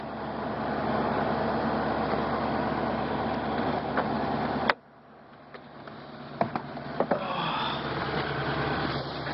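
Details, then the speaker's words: 1997 Mercury Mountaineer AWD, 5.0 L V8, 135,000 miles, cold weather: steady, even idle around 1,000 rpm with no knocks or misses; normal, healthy idle. "Still a little bit cold out. See the idle's normal around 1,000."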